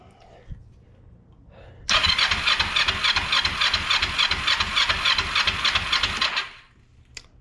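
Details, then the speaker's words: Kawasaki Ninja 500R cranking with fuel deliberately disconnected after carb cleaning, to check whether the oil light goes out: even starter churning at about 3.5 pulses/s for four seconds, never catches. Oil light stayed on. "Oh yeah, I don't have fuel hooked up to it right now."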